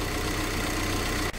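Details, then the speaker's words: VW Crafter diesel at idle after replacing the noisy EGR auxiliary recirculating water pump B and the aux heater pump to fix fault code P261A: steady even idle with a light regular tick, no knocks or rattles; quiet and healthy. "engine this purse now it's it just ticks all the nice and quiet"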